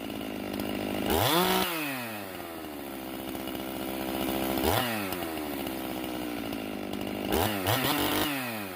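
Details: Stihl MS391 chainsaw after muffler mod and hanging-idle fix, tuned around 12,200 rpm below a 12,500 limiter: idles then snaps to high scream on each blip and drops cleanly back, three crisp revs, no stumble; throttle response much improved.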